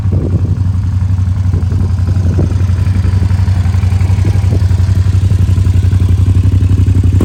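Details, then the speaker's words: 2007 Suzuki SV650S K6, 12,669 miles, 4-stroke liquid-cooled fuel-injected V-twin with Leo Vince exhaust: deep even loping beat with throaty burble holding steady; normal idle. "Suzuki is a 4-stroke V-twin. It's liquid cooled, fuel injection. Let's fire it up and see what it sounds like with that Leo Vince exhaust."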